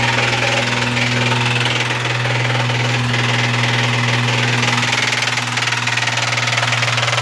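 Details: Imported JDM Toyota 1JZ, about 70k km, run about 500 miles; the noise started after a few pulls. Heard from outside the car at idle: a sharp regular knock about four per second. Serious rod knock.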